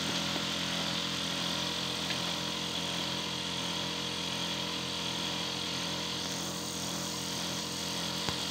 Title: Le bruit de ma pompe à chaleur fait le 3 janvier 2019